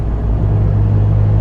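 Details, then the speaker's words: 2005 VW Jetta TDI cruising: steady low droning rumble under road noise, no knocks or clicks; worn wheel bearing, possibly explaining ABS, traction control and brake lights; no other suspension noise. "Other than the wheel bearing, I don't really hear any other suspension noise. I don't feel any suspension noise."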